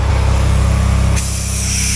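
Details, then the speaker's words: Tractor tire being reseated with a ratchet strap and inflated with the valve core removed: steady hiss starts over a low rumble; air escaping where the bead hasn't seated. "You got air coming out there."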